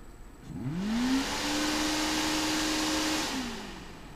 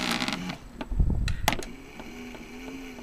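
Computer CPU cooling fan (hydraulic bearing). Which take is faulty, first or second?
second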